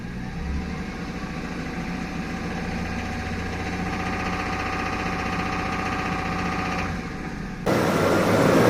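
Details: Toyota Tundra 1GR-FE 4.0L V6 at steady idle before engine removal. Uneven, slightly knocking pulse about four a second under the rumble; abnormal internal engine noise, cause suspected, not confirmed.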